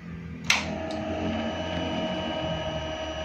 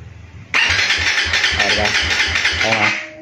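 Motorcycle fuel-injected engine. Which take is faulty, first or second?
second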